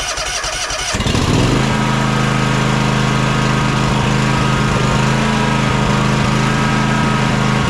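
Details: John Deere X300 riding mower, warm, after choke and carburetor work (not fully cleaned): starts and settles to a fairly even run but still stumbles faintly now and then; suspected fuel contamination needing flushing, or carburetor-to-intake gasket air leak, unconfirmed.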